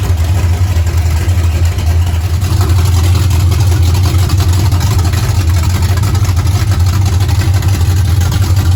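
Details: 1935 Chevrolet coupe with blown big-block V8, just started after carb synchronization, rough timing set and fuel system pre-bled; deep, steady low rumble with even beat, no misses or knocks: normal idle.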